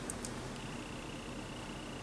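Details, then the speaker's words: Old 40 GB hard drive on a Unitek USB 3.0 to IDE/SATA adapter: a couple of quick ticks, then a thin steady high whine with no seek chatter; sounds strange and is not detected or read. "I hear something come on come on come on work that sounds a little strange"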